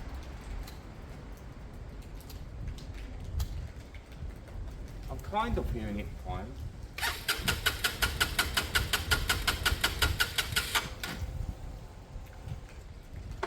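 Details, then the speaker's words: Lexmoto Michigan motorcycle on a used but good battery. The starter churns a quick, even chug for about four seconds without catching. It cranks but won't start; the owner suspects the fuel isn't pumping and plans to recheck the spark. "but what I'm not sure is if um the fuel is pumping I kind of feel like it's not"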